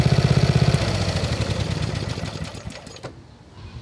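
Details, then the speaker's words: 1990s Snapper riding mower, Briggs & Stratton single-cylinder, first cut in years after belt, blade and lubrication work, deck at highest height: steady, even thump about four beats a second, fading as it drives away; cuts well, normal running under load. "would say this is a success fellas take a little bit of getting used to it cuts really good it's up all the way on the adjustment height"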